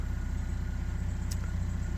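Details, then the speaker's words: GMC Sonoma pickup at 210,000 miles idling after new tensioner pulley, serpentine belt, upper and lower radiator hoses and fresh oil change: smooth, even low idle with steady firing beat, no knocks, ticks or squeal; healthy. "t up and lower hoses got a brand new belt oh man sounds so good"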